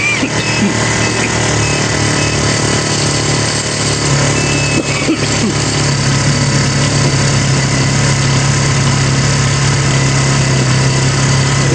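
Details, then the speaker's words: Kawasaki Barako single-cylinder, unused about six months, battery recharged (12.7–12.78 V): idle is uneven and stumbling, runs only on choke; carburetor pilot jet clogged with sand/debris, carburetor cleaning and tune-up needed. "kasi hindi siya aandar kapag naka yung choke na siya tayo naka chok barado yung kanyang pilot chip"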